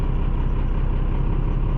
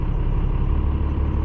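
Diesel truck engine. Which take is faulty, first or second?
second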